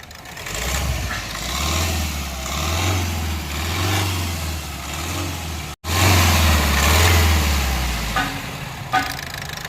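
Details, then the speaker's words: Diesel CRDI vehicle revved in sharp blips; a hard tak-tak knock comes with each sudden acceleration, from a seized piston with heavy blow-by. "ये देखो knocking की sound करती है। जैसे ही एकदम से accelerate करो, टक टक टक की आवाज़ इसमें से आ रही है।"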